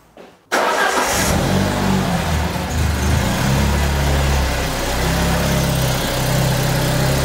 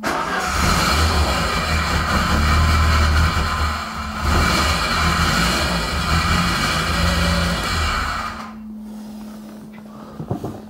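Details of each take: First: Peugeot 205 GTI engine after fixing its starting problems and reassembling everything except some covers: quick start and steady, even idle with no odd noises. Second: Peugeot 205 GTI engine first restarted after rebuild from scratch: rough metallic rattle growing as revs rise, then dropping back at idle, louder under throttle so tied to engine speed, something rotating suspected; possibly a loose heat shield.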